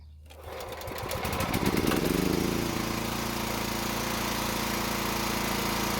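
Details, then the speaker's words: Toro walk-behind mower that wouldn't start, backfiring through carb: catches after a second, revs briefly, then steady even running with no misses; low compression, later traced to extremely tight valve lash. "At least we know it runs, and it still sounds good even for being low on compression."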